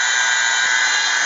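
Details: Rebuilt old 1/4" Thor electric drill running no load after reassembly: steady even motor whine, no catches or rattles; speeding up, maybe as brushes bed in, no sparking as before; normal run.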